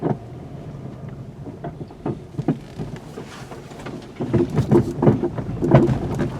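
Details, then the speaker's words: 2020 VW Golf with a complaint of banging down the road: irregular rattles and dull clunks from the suspension as the car rolls slowly over bumps; CV axles ruled out, cause still to be found on the lift. "Okay. Definitely something rattling, but you gotta figure out what."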